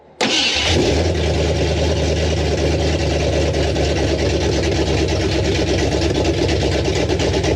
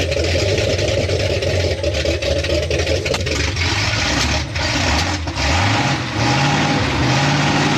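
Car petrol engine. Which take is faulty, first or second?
second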